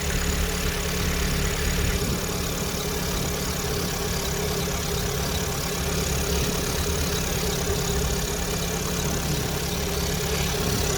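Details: Chevrolet Orlando, 55,000 km, after valve cover gasket replacement and cleaning the cover, at idle: steady thin high whistle over an even idle; crankcase breather membrane in the valve cover suspected of whistling, not confirmed.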